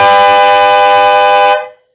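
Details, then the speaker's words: Harbor Freight three-chime horn set tuned with an additional fixed bell: one loud, steady chord about 1.5 seconds, clean, in tune and harmonic, no rattle or buzz; normal horn tone after fix. "three two one that sounds much better that sounds so much better let's hear that again"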